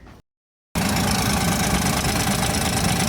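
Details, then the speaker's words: Van engine with a clankety bang from the top: after a short gap it idles with a quick, uneven clacking from the top end, typical of a loose rocker or lifter; valvetrain ticking. "It's got a weird clankety bang bang sound coming from the top, and we're going to see if idiots can really fix cars."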